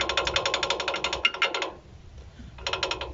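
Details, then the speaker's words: Toyota rear brake: quick bright metallic clatter, about twelve clicks a second, from the brake pad loose with excess play because its pad retaining clip/adjuster is missing. "estos son los ajustadores de balata que es el que llevan esta parte de aquí pero no lo tiene por eso este es el ruido que a nuestro cliente escucha"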